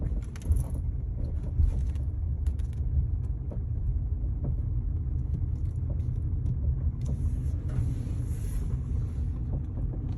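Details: 2012 Kia Forte driving at 5-15 mph: low road rumble with faint irregular light clunks and an occasional jingle; source of the clunking unknown.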